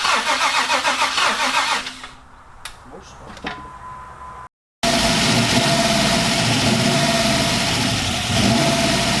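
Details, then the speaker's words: LS-swapped Ram 1500, first start after the swap and a fuel filter change: cranking gives way to the engine catching, a short pause, then a steady, even V8 idle with no knocks or misses. Engine starting and idling normally. "so guys as you just seen we finally got the truck to fire up so we're one step closer to getting our ls swap truck done"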